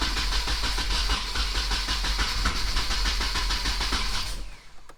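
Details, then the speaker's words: 1994 Nissan 240SX convertible, first start attempt, fuel pump working, fresh oil: steady fast cranking that never catches, uneven puffs without firing; owner suspects the ignition firing order is wrong. "So it sounded kind of like to me that the firing order was off, so I just went back and looked up more things, because I don't know anything about 240s, bro."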